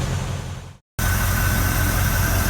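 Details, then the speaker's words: 1967 Chevrolet C50 dump truck, sat about two years with several plugs not firing, now fitted with new NGK spark plugs: after a brief cut, a smooth, even idle rumble with no stumbles or misfires. Healthy idle. "so just three hours on the C 50 and it's back running again pretty sweet"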